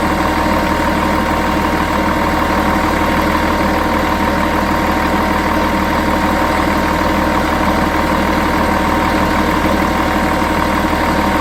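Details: Volvo Olympian bus with D10A-245 diesel at idle, loud with a rough, uneven pulsing of about four beats per second and a faint ringing tone; weird abnormal idle sound.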